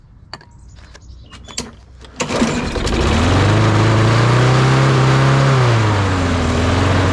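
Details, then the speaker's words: Craftsman push mower, Briggs & Stratton 650 series, started with starting fluid into the air intake; a few failed pulls, then fires and runs rough before smoothing to an even drone. "all right now i think you can hear that on camera the engine started out kind of rough kind of rough and then it ran a little bit smoother"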